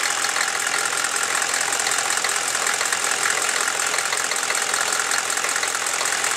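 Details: Chevy 6.5L diesel warming at idle: sharp, fairly quick ticking about four a second over the idle, appearing only once warm and worse after revving; owner suspects a valve or rocker arm needing adjustment, unconfirmed.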